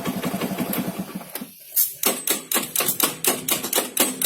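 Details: Carbureted Honda Beat scooter electric starter: sharp clicks about twice a second with no cranking or firing behind them; starter relay clicking without engaging.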